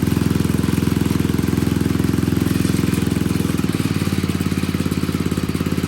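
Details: Old Troy-Bilt Pony rototiller, temporary battery fitted, idling on a little fresh gas: single-cylinder chugging at idle with a steady pulse, pitch easing slightly midway; idling normally.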